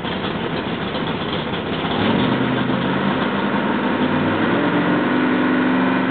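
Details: Rebuilt L88 427 Chevy big-block, hydraulic roller cam, 9.6:1 aluminum heads for 91-octane pump gas, timing set at 36°: deep lumpy rumble rising to a steadier, stronger drone with revs, clean and even; sounds like an original L88, healthy.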